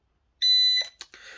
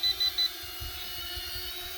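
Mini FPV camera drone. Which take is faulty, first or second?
second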